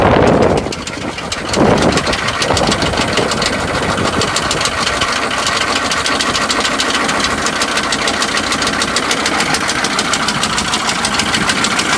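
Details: GMC Suburban 6.5 L diesel, bought unseen, seller said it runs rough and smokes, first start on trailer: rough idle with fast uneven tick over clatter on one side; tick or knock, source undiagnosed, owner may replace engine.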